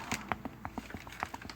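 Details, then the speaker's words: 1999 Ford Ranger old factory non-greaseable upper control arm ball joint, boot gone, rocked by hand off the truck; about a dozen sharp loose clunks in under two seconds, worn-out ball joint, being replaced. "hear the clunk yeah that's junk so it's a darn good thing we decided to go ahead and get these"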